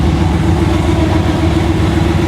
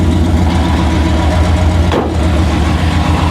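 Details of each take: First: 1959 Rambler race car V8 (about 1000 hp), before its first drive, cold water temp, cooling fans off: deep steady even rumble, no knocks or misses, oil pressure and voltage good; normal cold idle. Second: 1959 Rambler American, roughly 1000hp, on its first start and smoking: loud, lumpy big-cam V8 idle with a loose metallic rattle in the exhaust.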